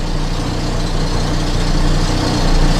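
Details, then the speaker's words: Volvo 480 project car after CEM replacement and fuel starvation on start, at low-rev idle: rough buzzy rattle and harmonic through the car, pointing to the exhaust knocking against the chassis; ABS light on. "God nasty rattle going on at low revs there ABS light is on I'm not quite sure what that rattle is bit of a harmonic or something going through the car which doesn't sound ideal but we are running"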